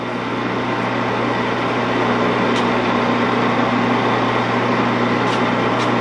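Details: 16-inch Axelson lathe that sat out in the weather, running: steady low hum with even gear whir, no knocking, grinding or rattles. Sounds great, though the spindle brake is not working. The oil drip window needs checking and the oil filter needs changing.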